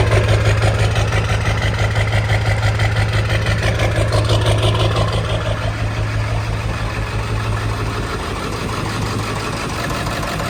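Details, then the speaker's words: Half-million-mile Ford 7.3 Powerstroke diesel idling after replacing both damaged valve cover harnesses and gaskets; steady low clatter, fairly even with a faint lope, no shaking or surging, much smoother than before the repair. "This is much smoother than it was before I did the harnesses. Not perfect still. She's still got a little lope to her, but it started up."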